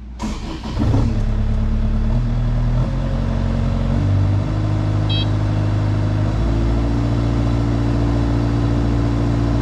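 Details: Engine catches cleanly after cranking, after cycling the key to let the fuel pump prime (pump clicking audible), then settles and steps up smoothly in revs with a steady, even note; normal start and run.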